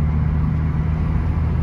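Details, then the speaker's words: 2015 Fiat 500C Abarth MultiAir after re-priming lost oil prime, light drive around the block: smooth even low rumble, earlier top-end tapping (judged injectors) calmed down; engine running healthy. "yeah really sounds like the top end of the engines really calmed down yeah those are definitely the injectors yeah it's working great"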